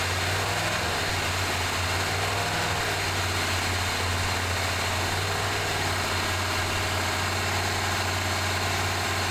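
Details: 1978 Chevy C10 Square Body running after adding 4–5 gallons of fresh gas, air cleaner lid off: steady, even low idle hum with constant hiss on top; normal idle.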